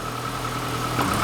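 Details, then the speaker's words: Classic Mini campervan automatic after adding 2 extra litres of oil, 7 litres total, to fill an empty torque converter, idling: steady even idle with soft change as gears engage, no clunk or slip; reverse and first, previously missing, now work. "Try all the way down in first. Because we had no first before. Yeah, that's working."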